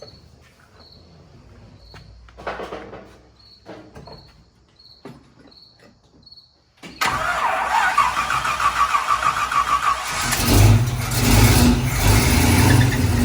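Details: 1968 Chevy K10 pickup with swapped-in 327 V8, first start-up: quiet cranking and clicks on a slightly low battery, then it catches, gains oil pressure and settles into a steady, even rumbling idle; normal idle.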